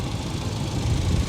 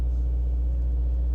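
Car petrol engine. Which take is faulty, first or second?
second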